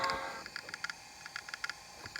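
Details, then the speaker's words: Gray iBook Clamshell laptop with a failed hard drive: sharp, dry clicks in small irregular clusters over faint hiss, with no spin-up. The clicking is the sound of a dead hard drive. "what does an eye book do when you feel coconut or more when you get a dead hard drive okay that's the sound of a bad hard drive"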